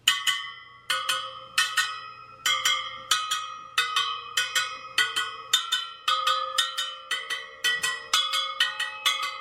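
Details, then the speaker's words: Sur Ron Light Bee supermoto front wheel build, spokes pinged after tightening the nipples, a dead-sounding one given a quarter turn: crisp bright pings at similar high pitch, spokes sound evenly tight. "actually sounds pretty good all right okay so i guess they're all tight"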